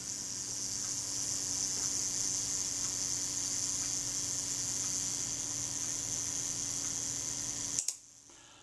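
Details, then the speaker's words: Kodak Retina IIIc self-timer run with shutter set to 1/8 s, after the slow-speed gear train was readjusted: a steady fine high whirr of about eight seconds ending in a crisp click; normal self-timer operation. "that's good that all appears good to me"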